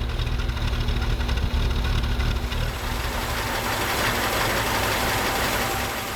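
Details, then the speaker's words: 1978 Datsun 280Z, sat about 20 years, first idle after a battery charge: a loud, lumpy idle with an uneven beat and a ragged low rumble. Rough idle; the owner suspects many vacuum leaks, not confirmed. "I mean there's got to be a million vacuum leaks but it runs so the next step is to get a proper battery in here"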